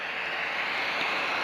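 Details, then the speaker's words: Computer (AMD) during OS install with no drivers loaded: case fan runs flat out in hardware mode, a steady even high-pitched rush of air with no speed change; loud fan expected to quiet once drivers load. "listen to that fan run away. It's quiet when the drivers are loaded, but since we're installing, there's no kind of drivers running at all. So the fan is in full-blown hardware mode."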